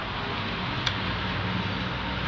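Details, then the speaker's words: Flood-damaged WaterSnake Combat CRC 54 bow-mount trolling motor with the head off and powered on: the red light comes on and one faint click of the relay sounds over a steady hiss, but no motor hum follows even with the button held. The owner suspects the motor. "red light comes on can hear a bit of a click still nothing if I hold that button"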